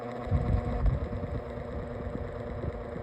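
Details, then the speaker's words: Lasko Windstorm pedestal fan on speed one: a low, uneven buzzing rattle under the hum and the fan visibly shakes; this abnormal vibration occurs on speeds one and two but apparently not four, cause unknown. "It makes this absolutely it makes this abnormal vibration noise and it's annoying. It It just doesn't on speed one and speed two."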